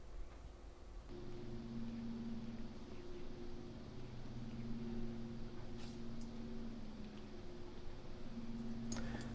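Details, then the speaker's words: Corsair RS120 ARGB PWM case fan in a Frame 4000D RS ARGB case at 50% duty, about 1050-1100 rpm; even steady airy hum, louder than at 25%, no ticking or rattle, running smoothly. "So at 50%, we're looking in a region around about 1100 RPM, maybe 1050. It does drop down a little bit. Noise level has increased."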